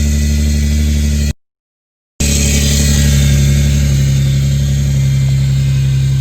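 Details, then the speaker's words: Infiniti G37 after a new serpentine belt, a replacement power steering return line and a new CZP power steering cooler: strong, even engine drone with a light intake hiss and no knocks or squeals; runs normally and sounds healthy. "sheesh back in business everything feels fine it feels normal but there's just a slow-ass car right there you can hear my intakes it sounds pretty cool a little hiss"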